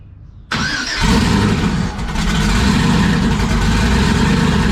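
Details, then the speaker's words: Klaus, idling outside 15–20 minutes after injectors were shocked, oil pressure good, temp about 200: steady even V8 idle with deep rumble, no knocks or misses; normal idle. "We're outside. I've had Klaus probably idling for 15-20 minutes. Oil pressure's still good. Temp's right at 200."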